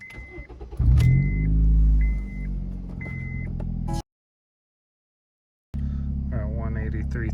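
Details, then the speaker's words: 2013 Honda Fit, cold start: a loud, raspy, rumbling roar that sounds like a race car. It quiets down once driven and warm. The cause is an exhaust leak at the catalytic converter gasket, before repair. "sounds like a race car but it quiets down after you drive it for a while as you can see here it's quite loud pretty good exhaust leak"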